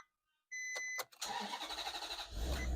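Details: Wrecked 2008 Maserati GranTurismo started for the first time after a battery swap: a few chimes, about a second of steady cranking, then it catches and settles into a deep, even idle.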